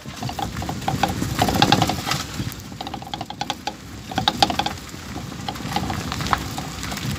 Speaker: también a veces lo que se daña es la campana del amortiguador y al momento de andar en terracería suena